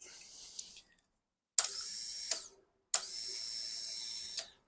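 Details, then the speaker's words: Triumph Sprint 955i motorcycle, sat unrun for years, fuel pump on key-on after refitting: thin high buzz for about a second and a half, stops, then repeats; fuel pump priming normally. "The fuel pump's working. The fuel pump is working. Right, the fuel pump works now."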